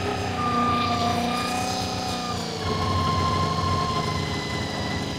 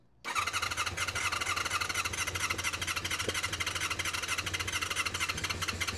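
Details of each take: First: Honda VFR400 NC24 with rebuilt carbs, near operating temperature, set to about 3000 rpm on vacuum gauges with carbs well out of balance; idle pitch steps up as each carb is adjusted, so idle needs winding down during synchronisation. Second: Honda VFR400 NC24 motorcycle after its blocked carburettors were stripped, cleaned and rebuilt, started on a boost pack; steady starter whirr with uneven firing building as the engine catches.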